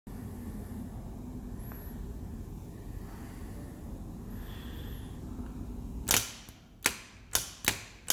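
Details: Starter removed from a 2007 Range Rover Sport 4.2 supercharged, bench tested: quiet, then five sharp clicks with short buzzing tails over about two seconds; bad starter clicking on the bench.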